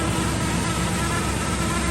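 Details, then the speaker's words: 1989 Chevy Suburban from a junkyard, just started on starting fluid and idling: rough idle with a steady thin whirring whine above the engine note, typical of dry, worn alternator bearings. Alternator bearing noise. "needs alternator bearings that's for"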